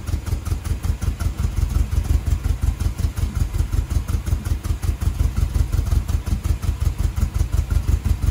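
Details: 1978 MGB after carburetor rebuild: strong, steady low pulsing idle at about three beats a second, even from start to finish; engine settles and runs cleanly.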